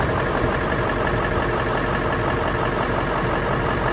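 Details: Ford 7.3L Super Duty diesel, first start after oil cooler rebuild with a new Motorcraft filter, fresh oil and coolant: steady idle with even clatter, no misses, knocks or rough patches; runs normally.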